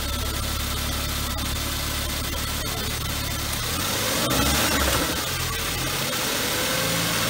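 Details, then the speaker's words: BMW 1 Series E81/E87 first start after replacing hydraulic lifters and refreshing the camshaft, rocker arms kept; cold idle even and steady with no top-end tapping. Will be rechecked warm to confirm the noise is gone. "wir lassen jetzt mal laufen darfst du mal starten er läuft es aber jetzt selber gut"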